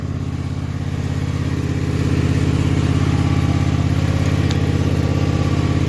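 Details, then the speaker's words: Husqvarna MZ5424S zero-turn mower after blade replacement, choke up, just refueled from empty: steady, even low putter at about three firing pulses a second, rising slightly and holding smoothly. The mower engine is idling normally. "Everything seems to be okay."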